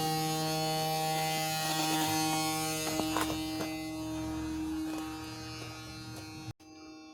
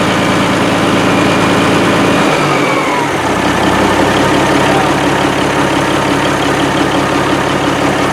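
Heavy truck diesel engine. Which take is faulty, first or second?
first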